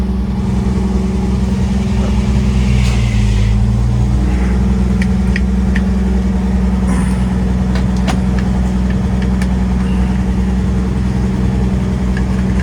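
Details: 1955 Chevrolet 3100 truck, old six-cylinder, first run since about 1993: steady, even low rumble with no misses or knocks and a few clicks around it; normal idle.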